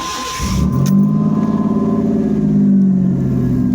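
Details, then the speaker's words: 1989 Chevy Camaro with bad ECM not triggering the fuel pump relay, relay now wired straight to ignition, VATS bypassed: quick crank, catches immediately into a steady, even idle with no misses and no check engine light. "Starts right up, and no check engine light."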